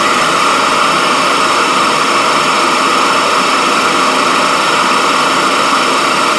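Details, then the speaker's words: Vacuum pump running during RC vacuum forming, switched on right after heating elements are removed; loud, steady jet-like roar with an even high hiss, no rattle or wavering, and the part appeared to form. Normal vacuum pump running. "that thing sounds like a goddamn Jet Plane taken off looks like it worked though we'll let it cool for a second"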